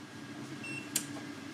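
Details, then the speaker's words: VLAIAN W2000 2000W 1536Wh LiFePO4 solar power station with panel left connected at 19:35 as solar input nears 0 W: faint hum with sharp relay clicks, which stop before the unit fully shuts off in darkness. "der klokken er 19:35 og der begynder stationen at klikke"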